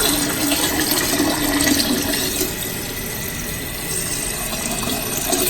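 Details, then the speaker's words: Toilet tank refilling after lowering the fill valve: steady hiss and rush of water with light gurgle, slowing as the level nears the top; normal refill, though the water level still sits slightly high, just over the overflow. "And as it gets closer, you can hear it starting to slow down."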